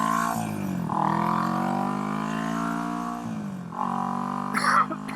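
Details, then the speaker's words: Restored 1970 Honda CB450 twin, accelerating onto the road: clean, smooth rising note through the gears, no misses or knocks; normal acceleration, pulls well. "So yeah, it gets up to speed pretty easy. Not much problems whatsoever. Pulls really good."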